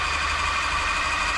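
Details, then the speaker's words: New Home L-312 sewing machine after servicing, with oil and a drop of WD applied to the moving joints top and bottom; even, steady whirr with a light high-pitched hum, no knocks or catches, running smoothly like new. "That does sounds like brand new now. It's lovely, lovely sounding machine."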